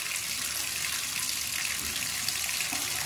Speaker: but the second I open up this cold side well now we get full water